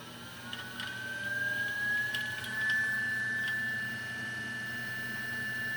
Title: Timemore 078 Rattling Sound